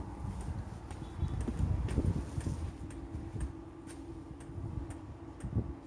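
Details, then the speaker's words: VW T4 Transporter diesel heater after about 20 minutes, cabin at 19 degrees and cutting back, heard from outside: steady low burner rumble with a soft fuel-pump tick about every half second; normal diesel heater operation. "it's working because it's cut back [Music] you can hear the hear it from the outside you can hear it working"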